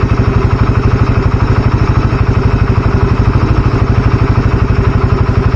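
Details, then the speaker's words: Motorcycle with new Deltalube Adventure 731 20W50 oil, warm at about 40 °C: steady, even low thump at idle, no ticking or clatter; normal idle. "Ini untuk suara mesinnya sendiri saya dengerin menurutku pribadi sih adem banget Memang suaranya karena balik lagi kan si-nya kental"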